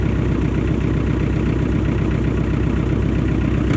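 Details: John Deere 1010 crawler diesel, sat 12 years, running after bleeding fuel and cracking injector lines: deep, even chugging at steady idle with no knocks or misses; normal diesel idle.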